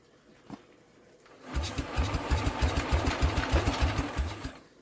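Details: Scrap-yard Norman engine after carb cleaning, confirmed good spark and valve work, primer/fuel tap opened: about four seconds of even, rapid cranking with no firing. Cranks but will not start.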